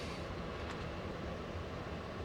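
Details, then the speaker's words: 2011 Leader ambulance climate control with the blower on max AC: steady rushing airflow with an even tone and no rattle, squeal or scraping, plus the actuator door audibly moving through its positions. Normal blower operation. "you can probably hear that cranking out it's on max ac and then if you listen closely you can hear the actuator door moving through all the motions"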